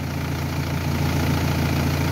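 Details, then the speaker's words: Renault Espace 3 2.2L at a steady, even idle with a smooth low rumble and no misses or knocks. The engine keeps running normally on alternator power with a battery terminal removed during an alternator test: normal idle. "Donc enlever le plus ou le moins, ça change rien."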